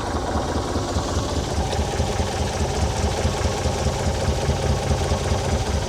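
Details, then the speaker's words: 1978 Sylvan boat with 2.5 L Iron Duke engine at a steady, even idle with a smooth low rumble and no misses or knocks; the new alternator reads 13.49 V at idle, so it is charging. Normal idle. "right, so we're just at an idle right now. Everything's fine."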